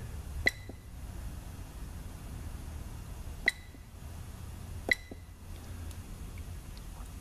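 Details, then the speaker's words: 2005 Buick LaCrosse 3.8, GM 4T65E transaxle with code P0753: three crisp clicks with slight metallic ring over quiet room hum as a good solenoid is bench-actuated; fault found was a shorted shift solenoid A. "I don't know if you can hear the solenoid clicking in the camera the sound of the camera but maybe you can listen I'll click it"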